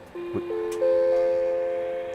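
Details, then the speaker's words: Corroded Macintosh LC 575 at power-on during repair: a click, then a short rising run of clear musical notes held and fading, the sad Mac chime of a failed RAM test. The sound chip and reset circuit are shown to work. "Okay, so that's a failed RAM test. So we've got a lot of good things going on with this at the moment."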